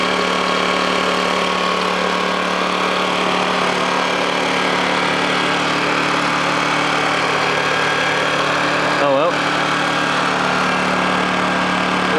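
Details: Honda generator, cold start after sitting unused about three months: steady, even hum at constant pitch with no hunting, misses or knocks; normal idle.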